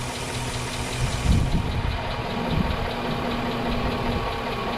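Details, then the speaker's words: 2005 Chevrolet Suburban 5.3L V8 at idle after 20-minute engine flush and oil change: faint fast light ticking from passenger side unchanged; lifter tick persists, owner suspects lifters needing replacement. "I don't know it sounds about the same"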